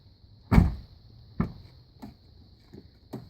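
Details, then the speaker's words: Chrysler door after the door check was replaced, fixing the pop and click on opening and closing. Only a few soft, dull door thumps with no pop or click as it swings: quiet door operation. "noise is gone no more door check noise"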